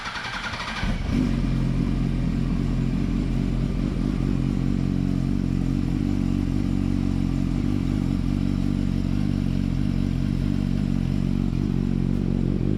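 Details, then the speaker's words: Yamaha R1 (2007–2008) cold start after shimming and welding the loose slipper clutch retaining springs: engine settles into a steady, even idle with no clutch rattle or chatter. Normal idle. "We'll start her up, and you can hear that there isn't a chatter. The old cold start."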